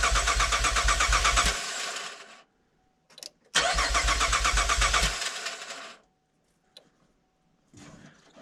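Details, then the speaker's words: Camaro that cranks but will not fire: steady fast cranking, about 2.5 beats a second, twice, never catching, with no fuel pump hum or prime between tries. "All right. I don't hear the fuel pump. >> I don't hear anything."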